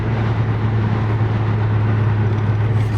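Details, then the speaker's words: Car with solid mounts and coilovers, driveline vibration complaint after repair; smooth steady drone on and off throttle with no rhythmic thump or clunk, only engine and transmission vibration, driveline healthy. "all I can feel is just the engine vibrations the transmission vibrations I don't feel anything that's loading and unloading that drive shaft"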